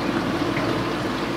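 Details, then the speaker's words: Kenmore Ultra Wash dishwasher after repair, running: steady wash-pump hum with sloshing water and soft grinder whir, the earlier loud noise gone; normal operation. "so I can hear the grinder going but I don't hear that loud noise anymore"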